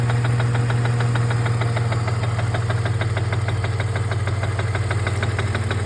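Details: BMW E46 330 petrol engine at idle: steady sharp tapping about four beats a second, knock/tap/rattle of unknown cause.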